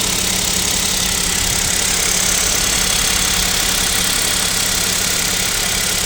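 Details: Kia Picanto 2, 1.0 G3LA three-cylinder, cold start at about -7°C: steady light ticking knock about three per second over hissy engine note; suspected cold piston knock, owner asks if overhaul is near, unconfirmed.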